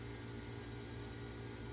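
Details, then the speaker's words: 1991 Tandy CDR-1000 (Mitsumi CRMC-LU005S) CD-ROM drive being revived: steady motor hum with even whirr, no clicking; drive spins the disc and seems to be trying to read it, unlike the other drive. "Yeah, it is spinning. The other drive wouldn't even do that. So it's trying to read from it."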